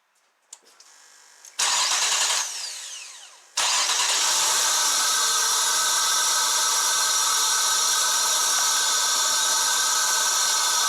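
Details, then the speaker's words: 2000 Nissan Maxima, after replacing a replacement computer and installing a new crankshaft position sensor: cranks briefly, catches and settles into a loud idle with faint unevenness; still runs slightly rough, cause not yet found. "so oh i know for a fact it runs a little bit rough but i'm gonna put it this way it is a step in the right direction"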